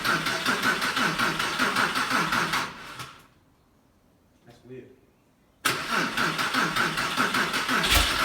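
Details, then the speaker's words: Porsche 911 (996) after a multi-year restoration, first start: starter cranks repeatedly in a steady rhythm but the engine never catches. "So after cranking and re-cranking the car, it just wasn't starting at all, which is very unusual because this car always runs very well."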